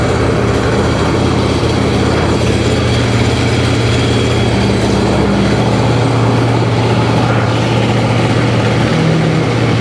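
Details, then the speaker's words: 2005 Sea-Doo 3D 787 two-stroke, previously submerged, running on hose water with oil in the bottom end: steady, even drone, smoky, no knocking or rattle from the bottom end; sounds healthy. "Smoky no bottom end noise at all"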